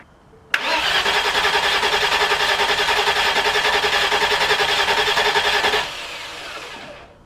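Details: Rebuilt engine in a Land Rover Discovery 2, first start after a new starter was fitted: quick catch, then a steady, evenly pulsing idle with no stumbles or knocks before shutting off; normal start and idle.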